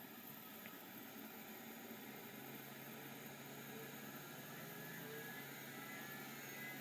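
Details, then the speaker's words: Seagate ST251 vintage hard drive: faint thin steady whine under uneven rapid scratchy chatter about four times a second; sounds awful yet passed short seek test, found tracking marks and parks; working. "it sounds awful but ironically it did the short seek test which means it actually found its tracking marks and it Parks that's a good one"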